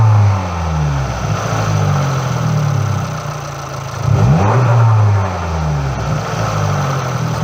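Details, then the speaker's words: MultiAir engine with electro-hydraulic variable intake valve lift and timing: a noisy hydraulic tick, and the valvetrain rhythm changes suddenly at about 3,000 rpm as MultiAir switches from late intake valve opening to full lift; normal behaviour. "there are sudden changes in valvetrain rhythm as you move up and down the rev range this is closed by the multi-unit changing modes in this case from late intake valve opening to full lift at about 3,000 rpms"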